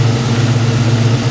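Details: 1989 Ford Mustang Foxbody V8 5-speed, brand-new engine, idling while ignition timing is checked and found right at 10° BTDC as the tune specifies, before warm-up: steady, even low burble with no misses or knocks; normal idle.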